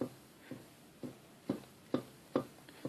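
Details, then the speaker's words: Yamaha YZF750 rear wheel on paddock stand, rocked side to side by hand: dull knocks about twice a second; play in worn rear wheel bearings, need replacing. "now you can hear in that wheel there's a bit of a knock basically tells me there's a bit of a play in the bearings and therefore they need to be replaced"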